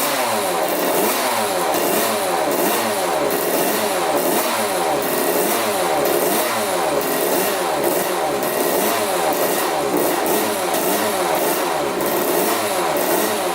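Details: 1985 Yamaha YZ80 two-stroke dirt bike, first start after rebuild on 41 premix: crisp revs climb and drop repeatedly with clean pickup and no knock or rattle. Runs really good; owner unsure the water pump impeller works, then sees the pump working.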